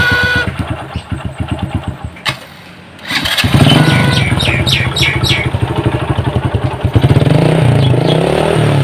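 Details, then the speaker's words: Honda Supra Fit motorcycle that smokes heavily: engine fires and revs with a hard, fast rattle from the engine bottom end that grows louder with throttle, crankshaft bearing knock. "permasalahannya adalah Motornya nggak separah dan juga bunyi gemeretak di bagian mesinnya dengarkan suara mesin dan kita lihat asap yang keluar dari knalpot motornya"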